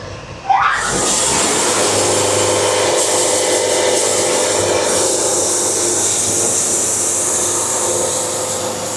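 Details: Bandsaw sawmill cutting a board at very slow feed, about 5 bars: steady hissing rasp with constant droning hum; band resonance from slow feed leaving a lot of wave in the board.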